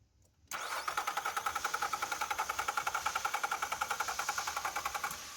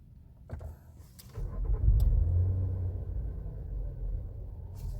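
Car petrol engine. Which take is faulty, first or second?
first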